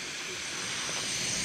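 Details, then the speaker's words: Husky 17-gallon air compressor after repairing the broken regulator-to-switch fitting: continuous high hiss, slightly swelling, as the tank holds pressure. Air leaking, location not yet found; soapy-water check planned. Compressed air leak hiss. "well I don't know if this is a good thing or a bad thing but this thing's holding pressure well maybe not it's leaking from"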